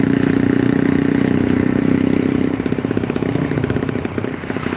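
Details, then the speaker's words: Yamaha Force motorcycle on a road test after repair, held in third then second gear, reaching 90–100 km/h: engine pulls cleanly with no stumbling or popping. Normal running; the earlier misfire and lack of power were caused by a loose spark plug. "dia sudah nggak ada brebet-brebet karena kemarin tuh businya kendor"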